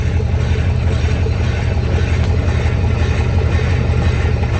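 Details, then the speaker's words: Customer's Chevy Silverado with grinding when shifted into gear: deep, steady growl with a loose throb about three times a second from the rear differential, judged blown and needing replacement; axle shaft wobble also seen. "uh yeah this noise is in the rear end itself this thing's gonna need a rear but that thing's blown up"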